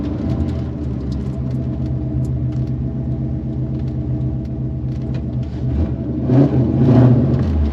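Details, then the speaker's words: 1990 Chevrolet Corvette 6-speed V8 with upgrades, wrapped headers and likely a custom exhaust, recently driven a couple hundred miles without issues: deep, throaty even idle with a short rev, loud but no misses or knocks; not lumpy, healthy. "It's not real lumpy. It idles relatively well. Um, for having upgrades."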